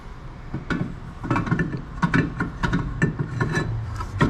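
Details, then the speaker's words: Toyota rear parking brake shoes, rotor spun by hand: rough scraping rub with irregular knocks, shoes dragging on the drum because they were opened up too much. "It's rough now. And the reason why is because we opened the shoes up too much."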